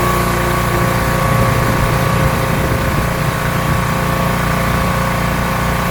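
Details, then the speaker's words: Rebuilt pressure washer small single-cylinder engine with a known leaking manifold, spraying a car wheel: steady, even drone with pump loaded, no stumbling or surging; runs really well, normal running under load. "Seems like a pretty good test to me. So there we go, not bad. The thing actually runs really well."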